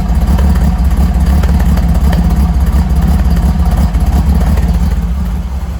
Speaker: so I just did that there to get it running so um sounds good hey sounds good the back pressure